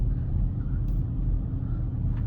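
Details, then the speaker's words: 2008 Lexus RX 350 V6 while driving at cruising speed: steady low droning hum under road rumble from the rear, owner unsure if tire noise or wheel bearing; driver's rear wheel bearing was later replaced. "But you do kind of hear a wheelbearing noise in the back. But it could be tire noise, maybe a wheel bearing."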